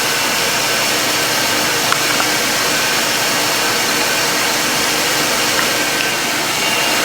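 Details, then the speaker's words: 2006 Ford Taurus 3.0L V6 after idler pulley replacement: steady even engine-bay hiss, no squeak or chirp; old pulley's in-and-out wobble gone, belt drive running quietly. "that in andout motion that the old one was doing has stopped and uh the squeaking noise is gone so we are done here"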